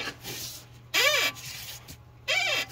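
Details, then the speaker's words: Tesla Model 3 with 70,000 miles, on a lift with the front wheel rocked by hand: two sharp rubbery squeaks from a dry, worn upper ball joint causing a noisy front end and steering squeak. "all right so we have the Tesla up on the lift and we basically figured out that it is the upper ball joint"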